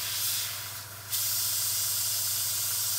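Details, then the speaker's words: Air-assist nozzle on a 10W Endurance laser mounted on a CR-10, fed from an air compressor via clear flexible tubing; compressor barely audible, strong steady hiss of air from the nozzle, dipping when blocked by a finger; normal air-assist airflow. "you can probably tell that well you can almost not hear the X pressure at all the air near it's quite loud"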